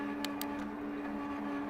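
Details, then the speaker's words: Engwe Engine Pro e-bike (1000 W peak hub motor, 48 V, 8-speed Shimano) shifting while riding: steady motor hum with two quick light clicks as the chain moves over, no grinding or skipping; gear change clean. "Yeah, this thing is changing gears like butter."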